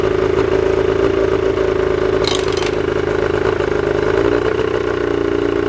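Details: Old two-cylinder Evinrude two-stroke outboard with premix, single ignition coil and dual carburetors, started after sitting: steady even buzz at fast idle with light mechanical clatter, no misses. Normal running.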